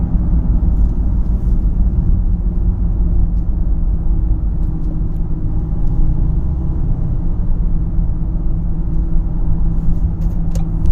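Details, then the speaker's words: 2012 Ford Fusion SEL at 35–55 mph with a steady low hum under road noise, getting louder around 50–55 with a possible slight vibration. No knocks or clicks are heard; speed-related hum of unknown origin. "See if you guys can hear that humming sound. Past 35, 40 now. About 50, close to 55. It gets louder at 50, 55, and I think there might be a little bit of a vibration."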